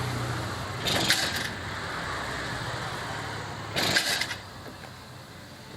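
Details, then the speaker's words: F1ZR two-stroke, stock CDI and pulser, ticking over with two sharp crackling pops a few seconds apart; mechanic suspects ignition timing too far advanced. "terus kayak nembak-nembak gitu nembak-nembak di sini adalah dia itu kayak pengapiannya terlalu kedepan"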